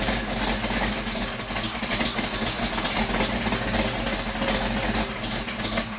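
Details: 1956 Chevy wagon with tunnel-rammed big-block V8, sat all winter in a snow bank, first start in garage: idles with a light, quick tick over the rumble; owner notes some ticking, ran without real issues.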